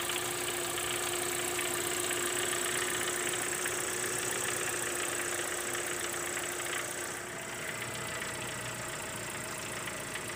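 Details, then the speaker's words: Mitsubishi 4G93 GDI petrol engine, rattling since 250,000 km and unchanged over another 100,000 km, makes a dry metallic rattle; the source is the meshing of the crankshaft and a worn oil pump drive gear. "Да все потому что этот звук идет как раз таки от этой шестерни а вернят сопряжение коленвал и шестеренка масляного насоса"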